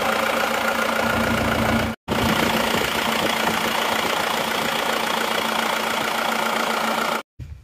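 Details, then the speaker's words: Isuzu Panther diesel, previously run out of coolant and damaged after an earlier shop repair, now repaired; settles into a steady, even clatter at idle with no misses or knocks; power afterwards judged back to standard. Normal idle. "Oke, mesinnya sudah hidup."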